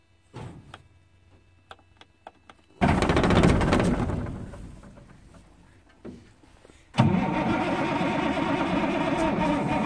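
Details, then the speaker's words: Freightliner FLD120 diesel with 397k miles, cranked for the first start after sitting 17 years, with ether used. Two bursts of starter cranking, no firing: after pumping fuel to the injectors, air is expected to remain in the lines. "I pumped that ever built up but there's gonna be air in it well pump it again you'll start hearing and hearing it going through there"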